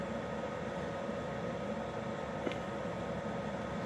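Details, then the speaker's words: Externally mounted under-chassis Eberspächer/Webasto-type parking heater, about 2500 W, running roughly a minute after start; phone about 30 cm from hot-air outlet, air still cold. Steady airy whoosh like a helicopter spooling up, faint constant hum; normal blower operation. "Alors bon, ça fait un peu un bruit d'hélico qui arrive ou qui se lance, au choix."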